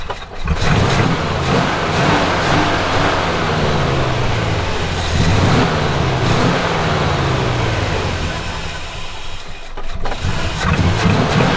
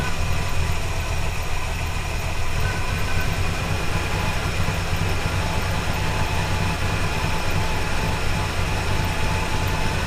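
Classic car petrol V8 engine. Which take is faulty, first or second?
first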